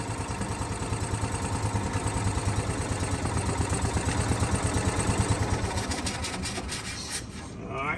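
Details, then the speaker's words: Gas Club Car DS golf cart idling unevenly, loping pulses about three a second that stumble and skip; misfire persists with pedal-box micro switch unplugged; cause not yet pinned. "let's try it again all right still doing it night here so runs all right it run it runs every time what that tells me is that this is bad"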